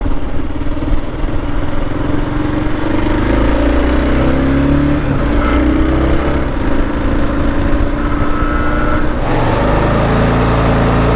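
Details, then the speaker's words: Kawasaki KLR650 Gen 2 at about 3,500–3,700 rpm: hard metallic buzz over the engine from a newly fitted SW Motech skid plate vibrating, not the engine. "i noticed a real hard buzz a metallic buzz and i got freaked right out i thought it was going to be the engine"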